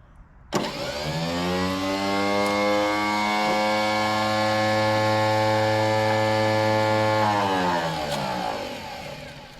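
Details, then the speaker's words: Ford 6600 tractor sitting about 8 years; key switch faulty, so starter solenoid jumped with a jumper wire. Electric whine spins up, holds steady with no cranking beats, winds down; starter just spins, not engaging flywheel. "That ain't good. No, I think we're having some issues with this starter."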